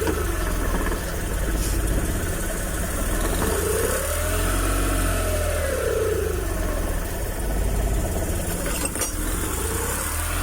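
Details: Suzuki F6A rear-engine multicab, after fixing hard starting from valves stuck open by overheating from near oil starvation: low steady idle rumble, faint passing whine, no knock or stumble.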